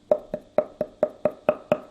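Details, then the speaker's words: Tiles laid over a self-leveled floor, tapped eight times about four per second: hollow, woody knock instead of a dead thud, a void under the tile in the middle; hollow floor tile. "but what we're left with are some of these tiles we have that lovely Hollow sound hollow right there in the middle you can hear it"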